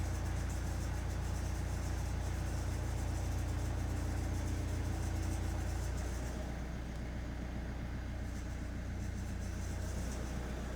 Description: Kia Optima 2017 1.7 141 hp, cold start, strange metallic noise from engine.